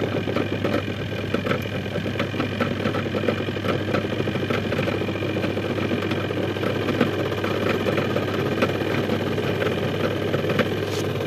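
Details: Zvezda washing machine, replacement spin motor fitted after the old side rusted and seized, belts fitted and pump checked: steady even low hum with light irregular ticks from the tub, no grinding or labouring; normal spin.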